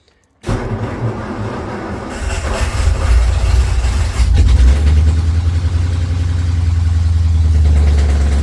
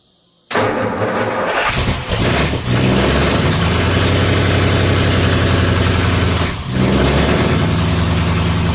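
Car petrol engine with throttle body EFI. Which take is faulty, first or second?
first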